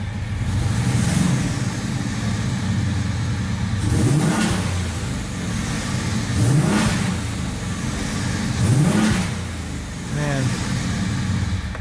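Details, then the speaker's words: 1978 VW Scirocco swapped to a 24v 2.8 VR6 with hydraulic clutch five-speed: a smooth idle broken by four quick blips, the pitch climbing and falling cleanly with no knocks or misses; eager, healthy revving. "wants to rip tell you that wants to rip"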